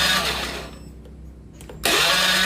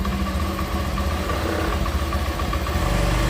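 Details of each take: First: Honda Beat FI scooter that died, cranking with the ignition on: the starter whirs in two short bursts, but it never fires. No spark at the coil and no injector spray, so the ECU was judged faulty. Crank, no start, no spark. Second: Honda Beat FI scooter after ECU replacement for no spark and no injector spray: starts and idles at a smooth, even low putter with no misses. Idle speed is still to be adjusted. Normal idle.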